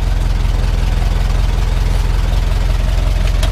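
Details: 1923 Ford Model T Touring four-cylinder after key set correctly and coil boxes working: low steady chuffing at a slow regular beat, no misses or knocks; normal idle.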